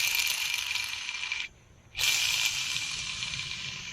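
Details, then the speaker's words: Muncie three-speed transmission input shaft bearing, spun by hand during a rebuild. It gives a dry, gritty rasp with a brief pause; the bearing is badly worn and noisy. "bearing is definitely noisy it has seen many many better days"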